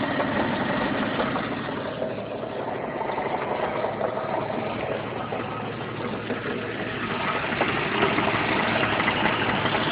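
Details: Jeep Cherokee automatic at idle: uneven, heavy metallic rattling knock around three per second that sounded like a bad rod bearing; caused by finger-tight, loose flexplate-to-torque converter bolts.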